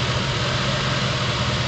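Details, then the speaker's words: Rough idle with an uneven low pulse and occasional dips in the beat; a bad coil-on-plug coil that passes a spark tester shows ringing noise in its waveform, and each time it does, the engine stumbles. "puts out that junk my engine stumbles so every time it stumbles so that's why these these uh this problem is very very hard to track down"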